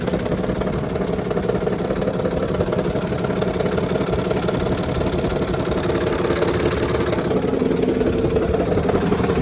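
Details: 2007 Sprinter OM642 diesel, well-used and poorly maintained engine after installation, idling with accessory belt removed: steady rattling clatter with a tapping knock about three times a second, pronounced on the van's left side (cylinders 4–5).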